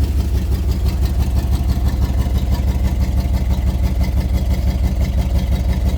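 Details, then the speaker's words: 1992-94 Chevy K5 Blazer project truck on a cold day, idling: deep idle with lumpy, fairly regular pulse, still smoking badly and losing antifreeze; owner suspects blown head gasket or intake manifold gasket. "Still smoking bad. Let me add some more antifreeze."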